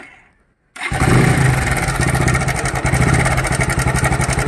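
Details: Bajaj motorcycle started and idling: fast uneven metallic rattle over the idle beat from inside the engine; timing chain noise, repair starting at the timing chain tensioner.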